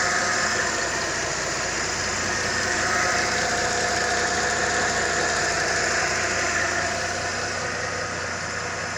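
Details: Mercedes-Benz M272 engine after repair of engine knock: smooth, even idle hum with steady rhythm and no knocking; normal running.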